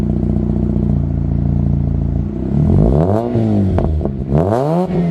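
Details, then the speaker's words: 2005 Mazda RX8 rotary, premix, with Turbo XS catback and mid-pipe: smooth buzzy rotary drone then clean rising and falling revs, not raspy, little drone, best heard at higher rpm; healthy exhaust note. "it sounds really good there's not a lot of drone as well and it's not a raspy at all you could really hear it in the higher rpms it sounds really good"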